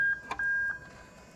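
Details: Lexus GS430 3UZ-FE VVT-i on Link G4+ ECU wired into an IS200: reverse switch bridged with a tester, sounding the IS200 reverse buzzer, a thin high-pitched tone under a second, then handling clatter; working normally.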